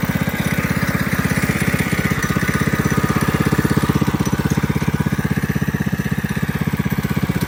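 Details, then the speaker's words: Coleman CC100X mini bike with brand-new 212cc Hemi engine, governor and oil sensor removed, torque converter installed: steady even single-cylinder thumping at fast idle, a bit loud; normal running. "it fires up I'll go ahead and do that right now it's a little loud"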